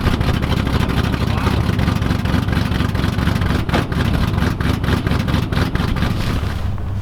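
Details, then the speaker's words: 1986 Camaro IROC-Z V8 at cold idle, heard in the background in the shop, after the electronic choke, previously hardwired wide open, was adjusted; a steady, even rumble with faint shop ticking, healthy. "you can hear the car running in the background right now, and the only thing I really did to get this working with the cold start is got the electronic choke actually adjusted and set up, because prior to me touching it, it was actually hardwired wide open."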